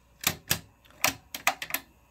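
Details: Sony TC-RX410 cassette deck after broken belt replacement: sharp mechanical clicks from the transport with no tape motion or playback; belt routing checked against service manual, cause unknown.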